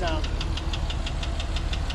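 Sharp metallic ticking about six or seven times a second, steady over a low idle; engine tick, source not yet identified.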